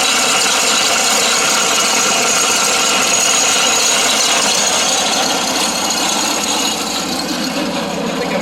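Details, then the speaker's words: John Deere 652R mower with a stretched drive belt: after possibly flooding and sitting, it started, and a harsh raspy scraping at about three pulses a second rides over the engine from an overheated, failing PTO clutch. "It cranked up after sitting for a while, but you can hear this noise. I think we might have something else going on here too"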